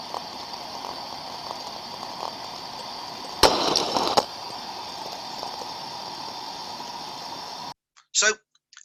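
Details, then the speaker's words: Ultrasound recording of a thermodynamic disc steam trap on site: low steady hiss broken by a short sharp burst as the disc snaps open and shut; two openings in 20 seconds, within the good 2–10 per minute, normal cycling. "we can see from the sound recording in the window of a 20 second period there we could see two open modulations of the Trap opening and closing"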